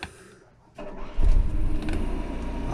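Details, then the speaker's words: Onan 4000 RV generator started from inside after a starter problem: the starter catches and it fires within a second into a steady, even run. A new solenoid did not help; no other parts changed; owner suspects a loose wire. Clean start. "it started right up now let's put a load on it"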